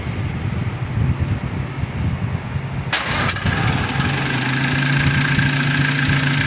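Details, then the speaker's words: Freshly rebuilt MG TC XPAG engine after cam break-in: quick start settling into a steady, even idle at 600 rpm with 40 psi oil pressure, clean low hum, no knocking or misses. "There we go. Idling at 600. We have 40 pounds of oil pressure at idle."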